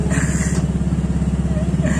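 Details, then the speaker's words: Yamaha Mio scooter idling, hard to kick-start: coarse, rattly chatter on every engine beat from the CVT side; the kick-starter boss is loose so the lever wobbles, and kick-start sets replaced several times haven't helped, so the boss must be replaced. "Sudah berapa kali diganti tapi hasilnya nggak bagus. Dan ini juga sudah beberapa kali sudah diganti dengan yang baru, cuman masih hasilnya tidak bagus. Karena bosnya ini sudah longgar."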